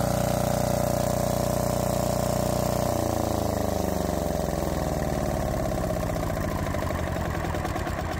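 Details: Lombardini 15LD400 single-cylinder diesel generator, barn find, after starting fluid: starter hum gives way to an even chug about two and a half beats a second; starts and runs healthy.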